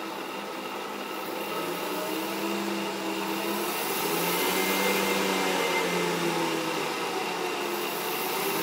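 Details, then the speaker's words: 2HP DC treadmill motor (thought to reach about 5000 rpm) fitted to a Bridgeport mill in place of the dead 1HP J-head motor, running unloaded while speed is raised with a potentiometer. Smooth, even hum rising gently in tone, no knocks or grinding, healthy. "turn it on got my potentiometer here i can adjust the speed with my potentiometer"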